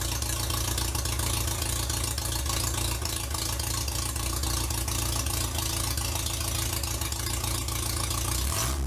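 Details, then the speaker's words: 1947 MG TC XPAG four-cylinder, rebuilt after sitting about 40 years, first run on an engine stand with radiator and temporary exhaust; even, steady idle with soft exhaust beat, no misses or knocks; may need a little fine tuning but runs fine. "well we might like to do a little fine tuning but that's not too bad"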